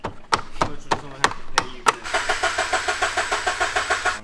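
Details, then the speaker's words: Early Subaru BRZ on E85 after throwout bearing replacement and transmission refit, owner reporting intermittent hard starts: starter cranks at a steady three to four turns a second but the engine never catches; crank, no start. "all right so we got the trans back in everything put back together but you can't get to start it is on E85"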